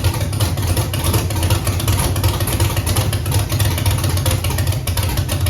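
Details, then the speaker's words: Chevrolet Camaro with Holley EFI-controlled 5.3 LS V8 after new cam sensor and Holley base tune reset: idle lopes with irregular stumble about once a second, dead cylinders moved to driver's side leaking raw fuel; misfire persists. "I fired it up with the new cam sensor and uh well the dead cylinders came over here to the driver's side"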